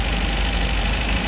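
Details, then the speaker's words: 1969 MGB, engine run only a few minutes and just warming up: an uneven, lumpy idle with some low rattly knocking. The carbs and valves need adjusting, and the owner suspects a vacuum leak. "carbs have really got to be adjusted it runs rough and I'm like I said I'm I'm pretty sure I have"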